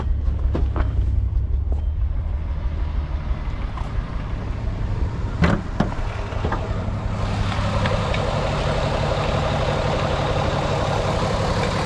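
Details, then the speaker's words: VW Beetle VR6 idling after Liqui Moly engine flush and hydraulic lifter additive: steady low idle with no clear lifter tick, maybe a slight bit, a few handling clicks; tick fixed. "lifter tick is completely gone I don't hear a thing at all whatsoever maybe a slight bit"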